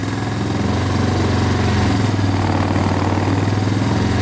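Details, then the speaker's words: Suzuki Ozark 250 ATV, stored seven years under a deck, after cleaning and reassembly: lumpy uneven single-cylinder idle that only keeps running on choke, lots of smoke; carb mixture problem, cause unconfirmed. "a lot that's with a choke on so oh one wants to run on show quite a lot of smoke"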